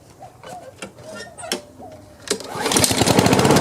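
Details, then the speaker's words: Craftsman self-propelled push mower after fitting a new gapped spark plug and a new air filter, replacing a dark fouled plug: after a quiet start it picks up into a steady, even, quick putter with no misses; runs much better, normal running. "Much better. So all I need is that one little part for the wheel, and this one's going to be ready to go."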